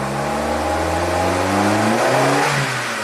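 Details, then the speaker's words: 2008 Suzuki SX4 with low power, feels like it can't breathe: engine revs slowly and lazily then sags; clogged cat or timing chain off a tooth suspected, cause still unclear. "rev up and get there. Just the most bizarre thing."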